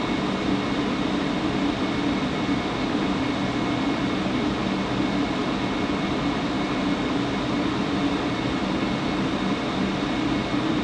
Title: Buzzing sound coming from furnace blower fan